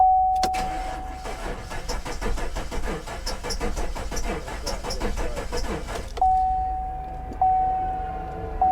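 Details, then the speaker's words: Salvage-auction Maserati that likely sat in floodwater: rhythmic starter cranking about five seconds with compression building but never firing, warning chime before and after; water ingestion suspected, not confirmed. "this one is obviously one that doesn't run yeah she must have sucked up water or something there's something going on in there what she sounds like she's trying though you can hear compression building"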